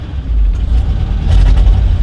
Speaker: very quick throttle response yeah carburetor is still a little sticky